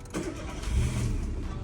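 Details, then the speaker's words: Peugeot 207 after a new clutch was fitted for slipping, half tank of petrol: brief crank, fires first time and settles into a low, steady rumble with no misses; normal engine start. "starts up first time it's got a half a tank of Petrol in there the engine sounds good"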